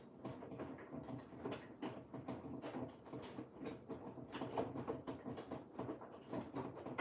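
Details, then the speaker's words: Washing machine on Cottons 60 programme, heating/wash phase: steady soft knocks, several a second, tracking drum tumble; machine rapping the adjacent cabinet, needs slight repositioning, not a machine fault. "if you can hear that knocking. It is not the machine. It's the cabinet next to the machine needs to I do need to adjust it slightly."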